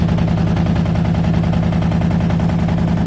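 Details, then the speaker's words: 1987 Chevrolet truck with a misfire, running before antifreeze is added: loud, rough exhaust drone with fast uneven pulses up to shutoff; the muffler is very noisy, smoke has cleared and there are no fuel leaks. "Smoke's all gone now probably a good motor that muffler is making a lot of noises amazing no fuel leaks"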